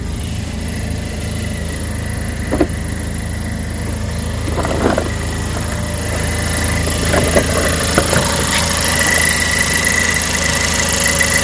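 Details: Cadillac ATS idling in Drive after a long drive: intermittent metallic buzzing rattle over the hum, which went away with a little gas; caused by a broken exhaust bracket by the oil filter, repaired by welding.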